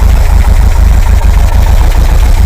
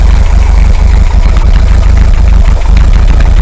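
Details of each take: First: Air-cooled VW 2-litre flat-four in a bus after a top-end rebuild, 2,000 km since; vacuum advance reconnected, steady even idle at 800-odd rpm before warm-up, carb balancing and emissions check. Smooth chuff with no hunting or misfire. Normal idle. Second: VW 2-litre air-cooled engine in a bus, 2000 km after top-end rebuild, warm with chokes opening, idling at 800 rpm: deep, loud, uneven loping idle, lumpy because vacuum advance is disconnected and carb port blanked.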